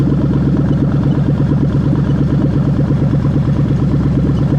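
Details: Toyota/Lexus LS430 (2000–03) 3UZ-FE VVT-i V8 on the stand with a newly built harness for a manual-gearbox, left-hand-drive setup, test-started: an even, fast pulse and a smooth low hum, no knocks or ticks; runs clean with no codes.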